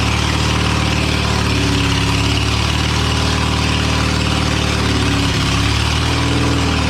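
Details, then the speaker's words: Old abandoned Spider forklift engine running with no exhaust fitted: loud, uneven note that surges and stumbles with no steady beat; running rough, cause not yet clear. "oh and it's not running quite right"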